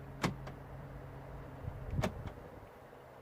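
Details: 2009 VW Golf interior central locking button, which locked but would not unlock, after repair: two crisp lock clunks about two seconds apart with a quiet hum between; central locking now cycles normally.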